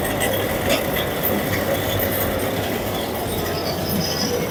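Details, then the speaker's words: Carrier 1.5 ton (18,000 BTU) window AC on high fan speed: loud, rough, steady roar with metallic clinking from the fan motor; defective fan motor bearings, later replaced. "This is fan speed, high speed. This is medium speed. I selected. You can hear the noise. It's very bad noise coming from the fan motor."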